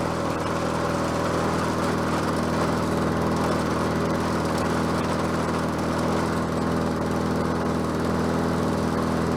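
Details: Bolens 22-inch self-propelled mower with a Quantum engine, on the ground after repair work: even, steady buzz at constant speed with no surging or sputter; self-propel works and it runs as it should.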